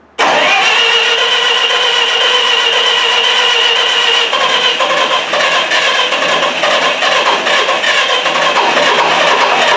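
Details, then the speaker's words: Miller Wildcat 350D diesel engine welder: it cranks steadily and fast but never catches. Cranks but will not start. "Cuz we are not getting any fuel out of that high pressure side. That is a problem is not going to start if we don't get that."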